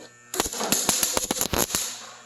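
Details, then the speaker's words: MIG welding tack welds joining Chevy and Ford truck beds: wire-feed arc crackles with sharp, uneven popping and banging from poor electrical contact. "you hear it popping and banging stop because you're not making good contact right"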